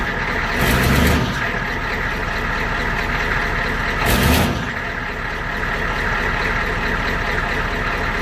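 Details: 1993 IDI diesel truck, stock injection pump before the fuel adjustment mod: starts and settles into a steady, even clatter with a couple of brief louder surges; normal idle.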